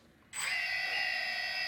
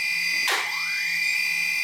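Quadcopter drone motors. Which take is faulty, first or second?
second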